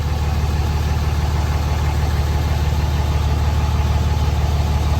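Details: 2006 Dodge Cummins 2500 Mega Cab diesel with new Edge CTS3 tuner and 100hp injectors, fuel injection pressure regulator fixed: after slightly rough first start, even steady clatter about three beats a second, no misses or knocks, no exhaust smoke; healthy idle.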